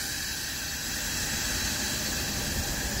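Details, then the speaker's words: 2016 Ram 1500 with newly installed AirLift 5000 wireless air bags dumping to preset 1 after slowly raising; steady loud hiss of air rushing out without sputter, bags deflating normally, system working. "All right, well, that's it. Sounds like we got a good working system."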